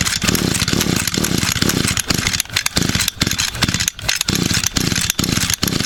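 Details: Echo GT200 string trimmer, cold start after 2–3 years unused, new carburetor fitted, primed five times, choke on: repeated rasping pull-start strokes about twice a second, never catching; cranks but won't start.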